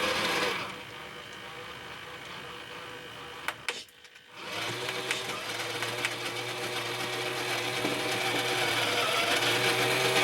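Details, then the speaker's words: HengGuan P407 (Bruiser clone) RC truck after replacing a failed rear axle bearing that had caused clicking on steep slopes. High, steady whir of motor and gears, no grinding or clicking: runs as well as before the failure. "Well, that sounds about as good as it did before the bearing went, so that'll do."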